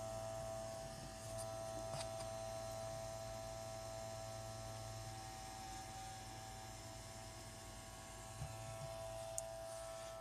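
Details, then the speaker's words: Xbox power supply brick giving a steady, fairly quiet mid-pitched hum with no change in level; the console itself works fine, cause of the hum unknown. "this works fine it's not with the Xbox it's with the power thing that's how loud it is Jesus Christ"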